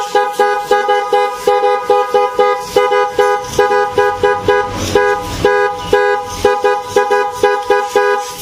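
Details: Honda Blade motorcycle after fitting kiong horns with a relay, mounted clear of the body cover: loud, clear two-tone honks about twice a second, steady with no rattle; healthy, properly mounted horns.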